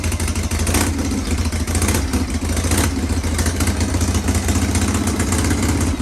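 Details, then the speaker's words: Shovelhead chopper with an S&S Super E carb, kick-started on the enricher after re-jetting, with a slight miss noted on the road: loud, lumpy V-twin beat with uneven loping and slight surging. Owner thinks the carb needs more setup. "yeah anyways um I think it needs a little bit of setup gas off um needs a little bit of setup"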